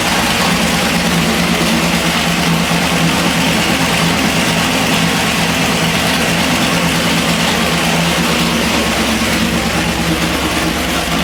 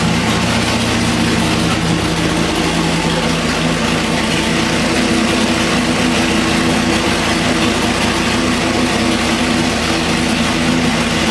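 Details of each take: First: Chevy 406 small block on the dyno, pump gas, budget Jegs heads and rockers: loud V8 idle with a quick light ticking, a suspected loose valve or rocker, so the valve covers are pulled to check. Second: Budget 406 Chevy small block on the dyno (Scat rotating assembly, Jegs heads, intake and rockers, pump gas, 32° timing), warming the oil after fixing a pushrod out of its lifter pocket with rocker adjustments: a smooth, even idle, no valvetrain ticking or misfire; running normally.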